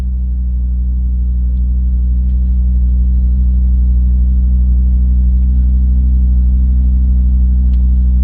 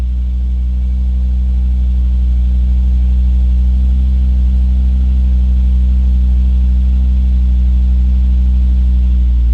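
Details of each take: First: Volvo V50 T5 cold start after sitting 15 hours. A steady, low, gong-like droning hum at idle with no exhaust manifold squeal. It is a new cold-start noise that goes away after about a minute of warm driving; the source is unidentified and probably unrelated. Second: Volvo V50 T5 cold start after sitting about 18 hours, windows down, wind guard removed from the microphone. A steady, deep, even idle with no exhaust manifold squeal or chirp.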